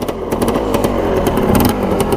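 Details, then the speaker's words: 1985 Yamaha Tri-Z 250 two-stroke with original jets: started on first kick, crisp even popping at fast idle, no misses or knocks, slightly smoky. "So first kick, when it was switched to on, it started right up. Just a little smoky."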